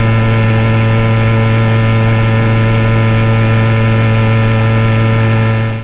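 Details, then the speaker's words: YD100 motorized bicycle two-stroke riding a rail trail at about 3/4 throttle: smooth even drone at constant pitch, no gurgle, misses or four-stroking as at half throttle; running clean, leaned out well. "And in this clip at about 3/4 throttle you can hear where the motor is lined out real nice, but it's unfortunately just a little bit beyond my comfort zone."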